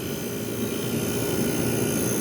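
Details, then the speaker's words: 1973 GM Frigidaire 11,600 BTU air conditioner, corroded pan, compressor apparently dated January 1973: steady blower rush with smooth compressor hum, no knocking or rattling, blowing ice cold; normal compressor run. "but yeah everything sounds good the compressor sounds happy"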